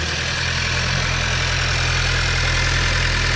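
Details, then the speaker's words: 2018 Skoda Octavia 1.5 TSI, 110 kW, after the knocking-noise repair using copper grease: smooth, even idle with a steady low hum and no tapping or rattle, no play left, so the engine sounds healthy. "tutaj nie ma ani grama luzu nie hałasuje także chyba się udało"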